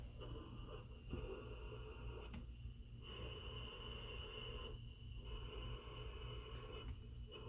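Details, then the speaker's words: AASD-15A AC servomotor drive, ~15–16 kHz switching, holding commanded position on 220 V (vs 110 V): steady low buzzing hum with faint chatter, louder on 220 V but just coils holding position, normal. "sounds a bit louder it sounds like it's bad but it's not it's just how the coils activate to keep the position"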